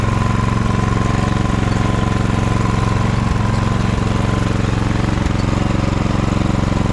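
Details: Ariens snowblower test run after friction disc replacement: small single-cylinder engine at a steady beat around three firings a second with a faint tone above; runs smoothly.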